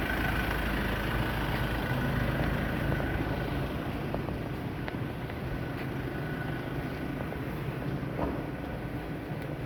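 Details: Ford Everest at 250,000 km, driving on throttle from about 100 km/h: a thin, rhythmic whine over low drivetrain rumble that goes quiet when lifting off, from a worn rear differential.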